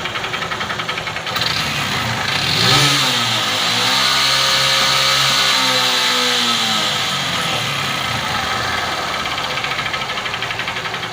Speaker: Oi tá aí ó batendo muito na lenta acelera um pouquinho bate mais